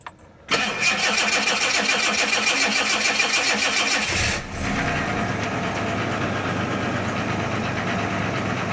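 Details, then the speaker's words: 1987 Jaguar XJ6 after rats chewed wires and nested in it, first start in a long time: about four seconds of cranking, fires and settles into a steady even idle with no knocking, oil pressure building to 40; healthy. "She sounds good. I want to say the idle The oil pressure is building."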